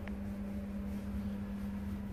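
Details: British Gas 29 CC1 boiler (Worcester 30HE) flashing C1 fan fault: only a steady low pump hum, no fan rush. The combustion fan isn't running; 240 V at the fan plug still to be checked to confirm the fan has failed.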